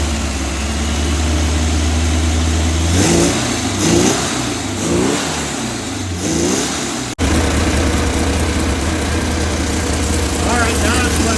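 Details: Old air-cooled VW Bug flat-four "mystery motor" with Holley carburetor, first run after 30+ years of storage: catches with a few uneven throttle blips, then settles to a steady, slightly lumpy idle.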